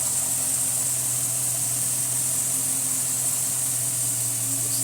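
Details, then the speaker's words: Chrysler 300C 5.7L Hemi after a melted #8 coil pack shorted the #15 fuse, fixed by wiring the coil pack to the ECU: smooth, even low idle hum with an airy hiss and no misfire, running on all eight cylinders. "see how long this lasts for. Purrs like a kitten."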